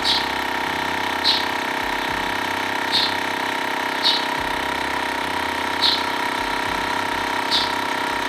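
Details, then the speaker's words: TACKLIFE M1 portable tire inflator pumping a bike tire toward a 60 psi target; steady drone with a light tick about every second, screwed-on valve connector sealed with no hiss. Normal running, no air leak. "you screw it on whatever the case may be it screwed on fine to the bike i didn't hear any hissing it wasn't letting out air"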